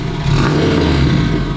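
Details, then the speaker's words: Tuned 400 hp race Honda after repeated launch control use, restarted: rough, flat rev with coarse rattly edge and no clean pull, unlike ever before; internal fault suspected, cause not yet found. "Oh my god, this sounds so sad. It's unbelievable. He's never sounded like this before."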